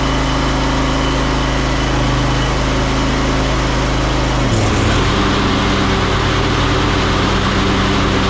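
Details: Ariens 20 hp riding mower, Briggs & Stratton V-twin, after repair of a no-start with no click or power: steady low-pitched chug at even speed with a brief dip around four seconds before settling; runs normally.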